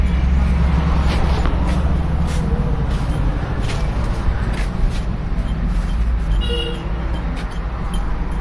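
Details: 2012 Hyundai i10 at idle: uneven low putt-putt puffing from silencer joint; cause found to be a broken silencer flange bolt, previously glued, repaired by welding and new bolt instead of replacing silencer.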